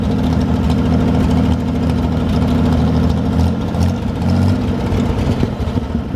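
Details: 1973 GMC 432ci V6 engine, out of a parted-out truck and sitting unstarted almost five years, run after light prep: deep, even idle with a couple of light throttle blips, no knocks or misses; normal idle, sound engine.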